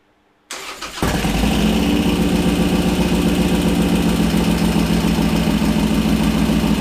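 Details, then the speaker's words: 2001 Harley Sportster 1200 conversion, Wiseco 10:1 pistons, first start after an Andrews N2 cam and S&S lifter install: short crank, then the V-twin fires and holds a loud, lumpy idle at about 220 pulses a minute. "Throw some plugs in and fire it up."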